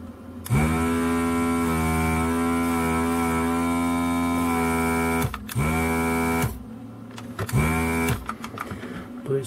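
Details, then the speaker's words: Desoldering gun vacuum pump after reassembly in repair: steady motor hum with a thin weak hiss of airflow cutting in and out, nozzle suspected blocked; weak suction. "well we have suction which doesn't sound like it's a lot of suction"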